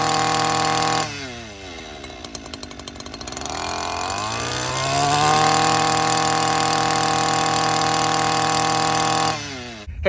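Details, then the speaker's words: Stihl FS 94R trimmer after tune-up, first thing in the morning, bogs down by midday and sometimes shuts off, carburetor to be adjusted: catches, sputters and stumbles a few seconds, then picks up to a steady high buzz; hard starting, rough running. "as you just saw there in the video it is having a rough time starting um it is first thing in the morning and by midday it bogs down"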